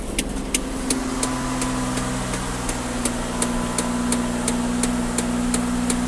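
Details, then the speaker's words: Ford Taurus started right after oil change with five quarts, run about 20 seconds: catches and settles into steady, even idle with light regular ticking; oil light off immediately, normal. "started up let it run for about 20 seconds not even that really we'll see where we're at for a level it smells like food in here fire in the hole oil light is off immediately"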